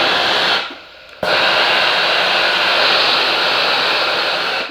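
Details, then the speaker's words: Morphy Richards Speed Steam Pro iron after repair of a no-steam fault; it had been heating but not steaming. A short pause, then a strong, steady hiss of steam for about three seconds that stops cleanly; steaming properly again. "So once all the screws are done up, I'm now ready to turn it on and we can see if it's steaming again. Let's try it. Fantastic. Yes."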